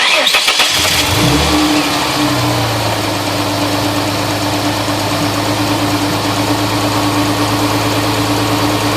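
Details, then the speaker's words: 1999 Mustang V6 after swap to a 3.8 engine from a 2000 Mustang, new valve cover gaskets, first start: starter cranks briefly, engine catches and flares, drops to steady even idle with faint whir, no knocks; runs really good. "Runs really good."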